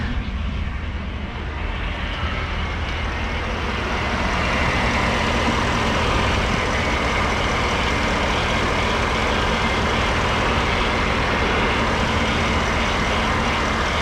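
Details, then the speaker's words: Ford F-150 with oversized power steering reservoir, running after fluid refill while cycling steering: steady low groan under engine noise holding level as wheel is worked; air in steering fluid. "Alright, so we still have a little bit of groaning from the power steering pump, but last time I did this, it took a few minutes before it stopped whining, but I'm gonna cycle it a few more times."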